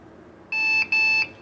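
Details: Lenovo H520G desktop powering on with two short high-pitched POST beeps and no picture; persists after board reset, swapping memory one module at a time and changing the processor.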